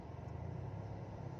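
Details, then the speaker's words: Hyundai i20 driving at speed: steady low rain-like droning rumble from the rear, carrying into the cabin ceiling; owner suspects rear wheel bearing, not confirmed; worn steering rack also suspected separately. "di kaki belakang itu ada bunyi seperti gemuruh hujan gemuruh badai itu asumsi saya adalah"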